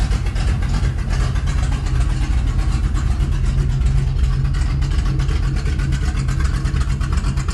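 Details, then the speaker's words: 1983 Chevy C10 with a used-parts motorhome 350 (Edelbrock Performer RPM cam), Quadrajet replaced by a Holley 750 4150: mixture leaned half a turn per screw for best vacuum, idle screw reset; deep, even V8 burble at steady idle, no misses, normal idle. "I got the best vacuum and everything so and it sounded happy there and so I just reset the set the idle screw and this thing's good to go I'm ready to drive this thing"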